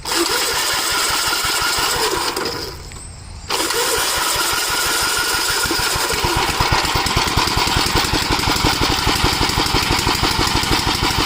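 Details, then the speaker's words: Gravely tractor, unrun about a year, cool day, previously sluggish to start when cold: cranks, catches after a short pause, settles into a steady even thumping run with no misses; normal cold start. "Anyway, seems to be all right. I haven't ran this in about a year."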